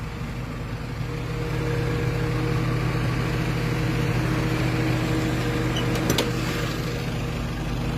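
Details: 1997 Toyota Corona, automatic, petrol: steady, even low idle hum with smooth rumble, no knocks or misses; no conrod or other engine noise, no white smoke; normal healthy idle.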